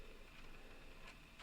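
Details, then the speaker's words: JVC 9415LSB radio cassette deck after servicing the mechanism with new belts: quiet, even rewind whir with a faint steady high tone and no catching or flutter; tape transport rewinding smoothly. "again nice and smooth and play lovely eject"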